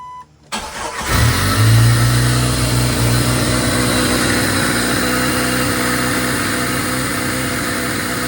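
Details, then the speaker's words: 1997 Jeep Wrangler TJ (2.5), after replacing throttle position sensor and IAC valve for surging idle: cranks, catches, flares, then holds fast steady idle pegged around 2,000 rpm, still surging slightly; code set, owner suspects TPS; not confirmed. "It's still punching a little bit. Yeah, it's now it's pegged at two grand. What the hell?"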